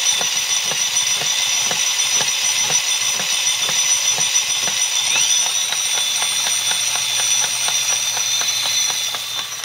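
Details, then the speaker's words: Honda CBF125 engine spun over with starter removed and clutch basket fitted, driving gearbox; sharp regular knocks three to four a second over high whirring, traced to gearbox rather than big end or small end. "as you can clearly hear there's a knock i'll just pull the basket back off to disconnect the gearbox and spin it again at high rev just to prove there's something wrong with the gearbox"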